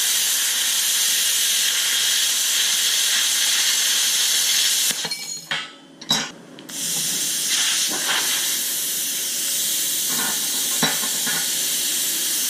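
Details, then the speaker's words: YesWelder Firstess MP200 plasma cutter cutting eighth-inch plate: a loud, even high hiss, dropping out briefly between passes, a decent cut; post flow was found off and turned on. "noticed there wasn't any post flow so i turned that on but i've got a pretty decent cut there"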